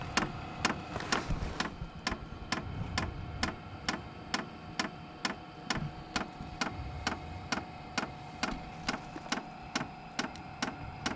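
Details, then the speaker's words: SILVEL 12 V diesel heater, just reassembled and on, ramping toward maximum speed: sharp, regular fuel pump ticks about twice a second over faint fan hum as air starts flowing; running normally. "that's the pump kicking on it's going to start getting to be a little bit louder"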